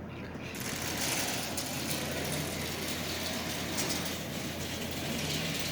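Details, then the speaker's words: Marx 999 toy train motor, unused for decades, after silicone lubricant sprayed into the armature: small motor whirs steadily with a buzzy, slightly uneven drone, running but still rough and dry. "this thing has not moved in decades there's no doubt about that here how dry it is"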